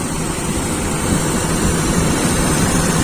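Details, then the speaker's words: Toyota Kijang Super carburetted petrol engine after adjusting the carburettor idle mixture: steady, even idle hum with no misses or hunting, only low rumble; idling smoothly. "Ahan terdengar teman-teman suaranya jelas itu didengar anteng malah."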